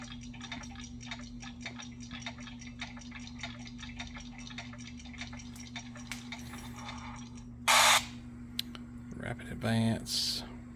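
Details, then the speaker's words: RCA SelectaVision CED videodisc player in visual search: light uneven ticking over a steady low hum as it skips. "You can hear this thing making some racket playing. It vibrates pretty bad too, because it's a big disc. It turns like a phonograph record."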